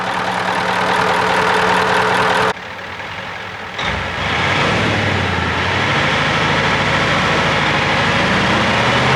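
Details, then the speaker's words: 1979 Ford LNT9000 with Cummins V8 diesel, first start after sitting: revs sag about a second then recover, uneven surge; owner suspects air picked up from low tank or fuel filters blocked from sitting, possibly brake air. "Running out of brake air, or it's still surging in the fuel system. Those filters are probably that blocked sitting around."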